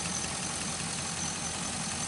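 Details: 2005 Chevy Envoy, idling after the serpentine belt and pulleys were replaced over an earlier pulley noise: steady, even hum with a faint hiss, no squeal, chirp or rattle from the belts; smooth, healthy idle.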